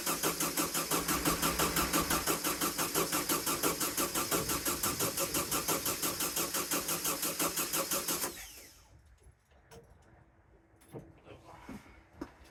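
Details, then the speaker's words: VW sandrail dune buggy, stood 18 months: even, steady starter churn about three turns a second for eight seconds with no firing; cranks but won't start, no fuel pumping through the line. "Turning over really well. Just check the fuel line, there's no fuel pumping through, so I'm just gonna crack the fuel pump inlet off, put some WD-40 in it, and we'll try it again."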